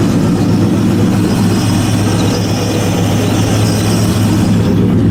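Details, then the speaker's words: LS1 V8 after intake removal and repair of an oil leak at the knock sensor valley gasket, at warm-up idle: deep, steady rumble with an even beat and no knocks or ticks; normal idle. "Gonna go ahead and start it up, just let it warm up, see what happens here. Hopefully, no more leaks."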